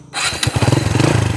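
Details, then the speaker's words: Kawasaki Barako 175 single-cylinder motorcycle after an engine overhaul for a noisy engine (crankshaft bearings replaced): starts and settles into a smooth, even low thumping idle with no backfire. "oh yan ang tunog ng barako napaka smooth wow shoutout kao from ordaneta City Pangasinan baraco overhauling yan napaka smooth Syempre walang backfire yan ganda ng tambot"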